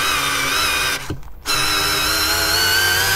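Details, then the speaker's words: Parkside PBSA 12 D4 12V cordless drill, 2Ah battery, driving large screws until hot: strained, gritty whine, cuts out and resumes; internal grinding, plastic ejected from vents, fan suspected detached from rotor and hitting motor parts. "don't like this sound at all Something is grinding inside This drill is out of business"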